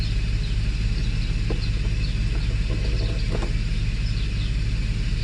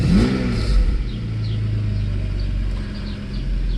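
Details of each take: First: Mercedes S600 W140 V12 after Egas throttle module repair, cold start after sitting since the previous day: steady whirring drone over a low, even idle rumble; secondary air pump still running at cold idle, exhaust broken. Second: Mercedes S600 W140 after Egas throttle module repair, in-car test: deep rumble swelling on a quick blip then settling, pulling up smoothly without hesitation; normal revving and idle, secondary air pump a little loud and exhaust broken.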